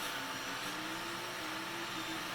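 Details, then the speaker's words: Anycubic i3 Mega 3D printer with stock stepper drivers, before a silent-driver mod: a loud, wavering mid-pitched stepper motor whine rises and falls as it prints, over a steady fan hiss. "reason being is it's super loud so you can just hear the stepper motors whining the whole time it prints"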